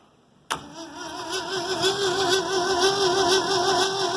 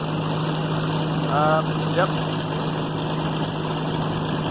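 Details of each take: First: New Holland 1400 combine, Ford 300 engine, first start after cracked cylinder head replaced and spark plug wire repaired: strong even cranking with good compression but no start, firing order wired backwards. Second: New Holland 1400 combine, Ford 300 engine, after cylinder head replacement: even low idle with steady hum, no knocks or misses; healthy, though owner feels it is less responsive with the different head.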